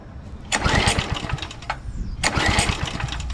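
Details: 2007 McLane reel mower, which fires and shuts right down, cranked on choke (about 84°F): two recoil pulls, each a quick run of compression puffs that never catches.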